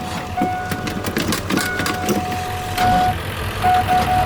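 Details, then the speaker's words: 1989 Ford Bronco cranking on a dead battery, being revived with new battery cables: sluggish, uneven churning about one labored turn a second, never catching; starter dragging on a flat battery. "Dead ass battery again. Okay, let's try it."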